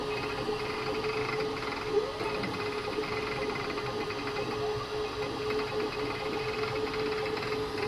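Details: Creality K2 Plus 3D printer, about a week of use, firmware updated 2025-05-01, printing unusually slowly (owner unsure if print setting is why): steady mid-pitched hum over busy, fluttering mechanical whir; owner thinks it sounds different than before, cause unknown.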